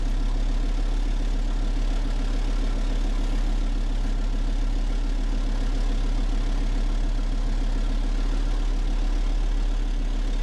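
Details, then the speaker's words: Engine running on wood gas from a gasifier, slow-idling about 25 minutes while holding proper temperature: low, steady, even idle with unchanging pitch and no misses or knocks; smooth normal idle. "I hope you can hear the smooth sound of the motor idling."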